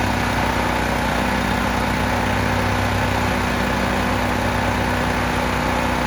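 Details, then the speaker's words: 10,000-watt (8,000 running) generator that sat outside for years in mud and weeds, with water and mud in the air cleaner box, running after cleanup; steady, even drone with no knocks, surging or hunting over six seconds; runs great. "this thing runs great Pur like a kitten"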